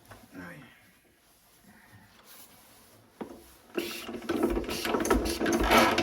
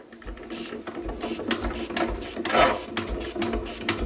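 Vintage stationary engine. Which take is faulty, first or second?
first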